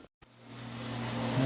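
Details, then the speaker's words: GE apartment-grade dishwasher with drain pump, overflowing when not in use due to faulty installation (drain loop, no air gap); a click then smooth motor hum builds as it starts washing and drains normally, pump and drain lines fine. "right as soon as I plugged it in it started washing there you go it's draining just fine so yep that's what happened it's draining normally"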